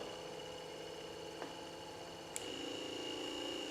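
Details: Junkyard C10 two-speed wiper motor tested on the slow setting, with the switch body providing the circuit ground: quiet, steady whir with a faint click. The motor and switch work fine; it has no park function.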